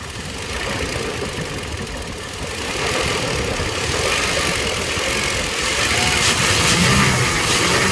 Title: weird noise when trying to throttle